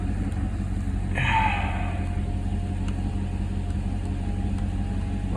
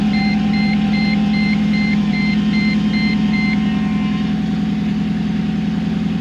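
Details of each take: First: Mercedes C55 AMG V8 after intake manifold install, manifold nuts retightened about half a turn after settling loose: steady settled rumble, no hiss or whistle; earlier noise gone, normal idle. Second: Mercedes C55 AMG V8, first cold start after intake manifold install: loud lumpy idle pulsing about three times a second under a repeating chime; rough idle because the MAP sensor was left unplugged.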